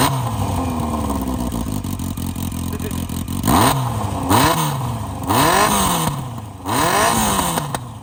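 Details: 1982 Yamaha Seca Turbo, one-owner barn find, running with the exhaust removed: loud open-exhaust idle, then four clean blips rising and falling smoothly without misfire; healthy, though smoke was suspected from oil in the exhaust packing.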